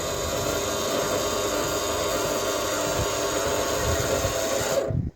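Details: Nest 200 incubator egg turner after wiring the motor for testing; steady even motor whir with no knocks or catches for about five seconds, then a clean stop.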